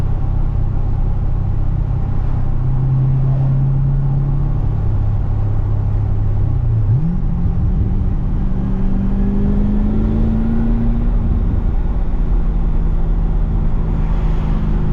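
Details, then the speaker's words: Pontiac GTO after replacing the differential bushing: even low road rumble through gentle acceleration and a gear change, no metal-on-metal clunk on throttle lift-off as before; normal driving, healthy driveline. "I love that you can let off the throttle now and not have that wicked clunk that sounded like metal on metal, but I guess if that diff bushing was worn out, it probably was hitting metal on metal."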